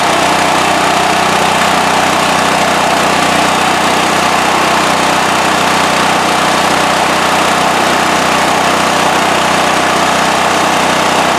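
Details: Westinghouse WH7000EC 7,000 W electric-start generator, serial starting 10, running with its completely plugged spark arrestor removed from the exhaust: steady, even drone with no surging, hunting or misses; idles smoothly and sounds healthy.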